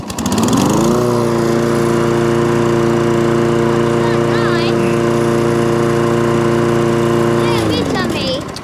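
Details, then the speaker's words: Toro Recycler lawnmower after a likely fix of its intermittent fault, before a planned full test: catches, comes up to a steady, even drone and holds speed without surging or dropping out, then winds down smoothly; normal running. "well uh it is running um but because it's intermittent fall which means it doesn't do it all the time it's very hard to diagnose it"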